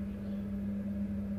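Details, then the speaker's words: British Gas 29 CC1 / Worcester 30HE boiler showing C1 fault, cover off, switched back on: only steady low pump hum, no fan rush; combustion fan not running, 240 V at fan plug to be checked to confirm fan failure. "Turn the boiler back on as you can see. But you can't hear the fan running"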